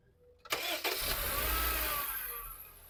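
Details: Petrol car after misfire fix by cleaning two non-working spark plugs: engine cranks briefly, catches cleanly and settles into an even idle; normal start.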